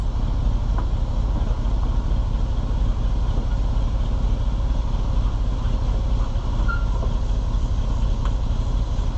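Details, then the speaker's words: Rusty old Chevrolet C65 grain truck after carburetor rebuild, air cleaner reinstalled, idling: low, even rumbling idle with no stumbling or popping. Runs good; normal idle. "Boy, it runs good. I mean, for being a rusty old truck, runs pretty good."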